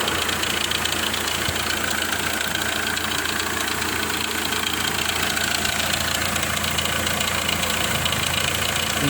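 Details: Hyundai i20 diesel engine idling with a sharp, steady knock over busy, hissy engine noise.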